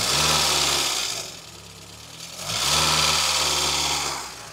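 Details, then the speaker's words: Rebuilt 16v MK2 Golf GTI four-cylinder, first start after home rebuild: swells up twice and settles to smooth idle, no knocks or rattles; some exhaust smoke (exhaust may need tightening), slight water leak, idle possibly down to new relay. "look it's idling now as it started up it's idling smoking a bit from the exhaust so if I need to tighten that up"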